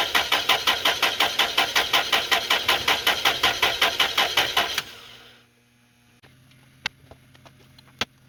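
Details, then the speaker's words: 2000 Toyota Celica, 242,363 miles, no-start with a flat battery on the charger and a loose starter bolt found; even cranking near three strokes a second for about five seconds, then stops without firing, before starting fluid is tried: hard start. "i decided to try a bit of starting fluid to help me diagnose what exactly is going wrong here and to see if i could get it to run"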